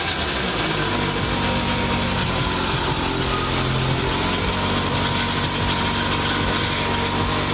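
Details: Scion tC with newly installed replacement engine, first start (threads on a rusted fitting chewed up on reinstall): catches and settles into a steady idle, pitch evening out after a few seconds, no knocks or ticks; normal start and idle, healthy.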